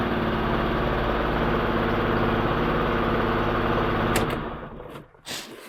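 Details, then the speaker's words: Daewoo Lanos on LPG/petrol that wouldn't start due to wrongly installed high-tension ignition leads, now corrected: lumpy uneven idle stumbling about four times a second, engine shaking visibly, possibly a cylinder still not firing; misfire. "тось його щось ковбасить цього двигуна О видно по дверці по дзеркалу видно як"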